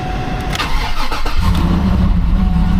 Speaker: yeah it's got some exhaust going on doesn't it it really just sounds like somebody chopped the muffler off